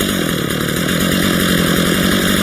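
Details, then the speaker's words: Stihl MS 230 two-stroke chainsaw during a tune-up, after the idle speed screw was raised from too low; it idles with a fast, even buzzing putter, holding steady without stumbling. Normal idle. "Yeah, that sounds like a better idle."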